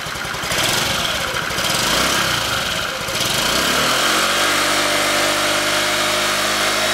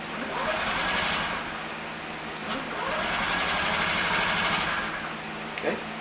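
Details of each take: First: 2015 Honda Ruckus scooter, revived after sitting a couple of years, ignition on jumper wires: rough revving at first, then settling into a smooth, steady, quiet idle with an even putter; normal idle. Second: 2015 Honda Ruckus scooter, sat unused for a couple of years, never run by the current owner: two bursts of fast cranking with the starter working but no fuel pump buzz, never catching; fuel pump not running during cranking.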